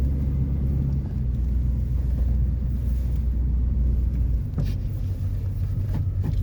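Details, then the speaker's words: 1993 GMC Yukon SLE 350 V8 throttle body injection, cold start after sitting almost six months: deep, even rumble holding steady with no misses, knocks or ticks; healthy cold idle. "so it's been sitting about five almost six months this is my 1993 gmc yukon sle 350 throttle body injection oh it started awesome"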